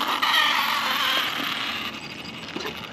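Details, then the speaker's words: Arrma Big Rock 6S RTR with Hobbywing ESC on new firmware and brand-new battery packs: at low-voltage cutoff the motor sits making a dry rapid ratcheting creak/click, about four a second, fading as power drops; odd noise, cause unclear. "I've never heard that on low voltage cut the motor is sitting there clicking on low voltage cut that's funny I've never seen that before"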